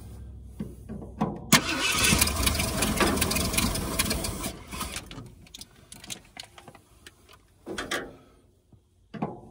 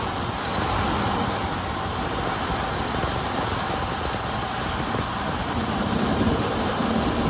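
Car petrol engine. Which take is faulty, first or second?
first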